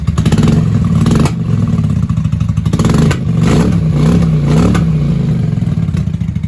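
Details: 1995 Honda Shadow 600 VLX VT600CD V-twin, back running after fuel leak work (pinhole still to be soldered), revved in shop: deep, loud open-pipe rumble blipped up and down, picking up crisply and settling evenly; normal healthy revving.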